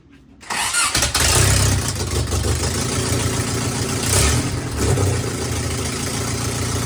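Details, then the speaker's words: Truck started for the first time, first crank, oil pressure built, running on open header with no exhaust: loud, raw, steady, even rumbling idle; healthy but very loud with open header. "And yeah, that header is very loud. I need to make an exhaust for this thing ASAP."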